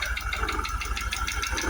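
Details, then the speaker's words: Jaguar XKR supercharged V8 at cold start with a misfire: heavy regular knocking, about five or six hard taps a second, over a rough idle, localised near the supercharger; supercharger or timing chain suspected, unconfirmed. "I mean, it's definitely coming from there. I've been all around the engine and had a good listen all the way around it."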